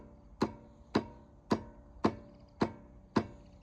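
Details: Stiga Combi electric-start lawnmower: sharp solenoid clicks about twice a second on pressing start, engine does not turn over; owner suspects battery, starter motor or starter-to-engine gear problem, unconfirmed.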